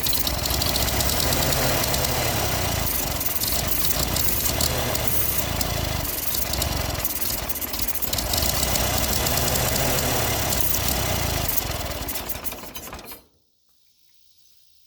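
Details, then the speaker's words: Ferguson TO20 tractor sitting 3–5 years, running after a spark check: chugs with a hard, uneven, rattly beat for about thirteen seconds then dies; some ignition problem, owner suspects fuel, carburetor not pulling fuel. "man I don't know about y'all but that makes me happy to hear that thing run W talk to him all right so yeah I'm sure we got a little bit of fire problem but I'm thinking now this may be some of this is going to be fuel problem"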